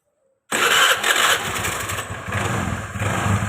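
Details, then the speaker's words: Small motorcycle engine after replacing the valve guides, which had caused smoking and a rough top-end noise: fires up and settles into a steady, even idle with no knocking or rattling, no longer smoking. "dapat kita lihat sudah tidak berasap dan di sini mesin sudah halus"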